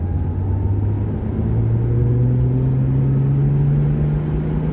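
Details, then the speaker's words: Early-80s Ford Mustang after a spark fix for sporadic stalling: engine note climbs smoothly with road speed and no longer breaks up at higher RPM. "and before it used to break up when it got to higher RPMs. It's not doing that anymore."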